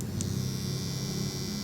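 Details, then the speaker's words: Cordless hair trimmer after tightening its two loose screws, before oiling: runs with a low, even hum and no rattle or buzz from the blades. "เงียบแล้วแค่นี้เองนะครับ"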